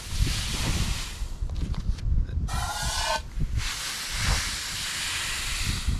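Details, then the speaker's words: 1988 GMC C7000 dump truck, removed lift-axle air bag with a tear tested with air gun: loud steady rush of escaping air with handling thumps; leak depends on bag position; air spring leak. "can leak a whole lot of air pretty quickly so so that was my problem right there"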